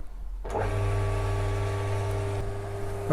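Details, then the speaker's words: Mini lathe after drive belt replacement, motor starts cleanly into a steady even hum with no slap, squeal or rattle, quieter than before; running normally. "I don't know whether you can pick that up on camera, but it's working fine and it's quieter than it was before."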